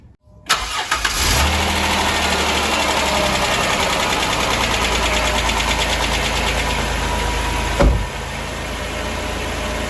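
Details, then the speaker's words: 2006 Dodge Grand Caravan, after a serpentine belt, tensioner and alternator decoupling pulley repair for a rattle at idle: it cranks briefly, fires, and settles to a smooth, quiet, steady idle with no rattle or belt chatter; the repair fixed it. "Ooh, sounds way more quiet. Let's check it out. Belt's still rolling, sounding good."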